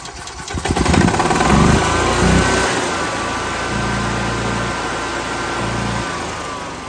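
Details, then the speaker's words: EZGO EFI gas golf cart with throttle-body injector and in-tank fuel pump, key on in neutral: the engine stumbles and runs ragged. It steadies when the intake air hose is pinched or covered, so it is running lean, too much air and not enough fuel. "if I pinch this it runs better which tells me it's getting too much oxygen excuse me it's getting uh too much air not enough gas"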